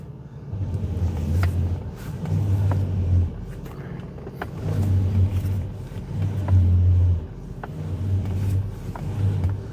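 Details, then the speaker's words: Mercedes W124 driving after drag link and steering shock replacement to cure knocking on left turns: steady low road rumble, no clicks or knocks from front end; steering linkage tight and healthy. "steering feels good no clicking noise or knocking however however you want to describe it"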